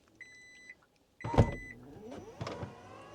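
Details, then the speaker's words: Kia EV9 power liftgate operated by press-and-hold on the button in the rear cargo-area panel. A beep, then a steady motor hum with latch clunks as the tailgate moves smoothly; normal operation. "And voila, it opens. And then to close it, hold it down. And the trunk will close."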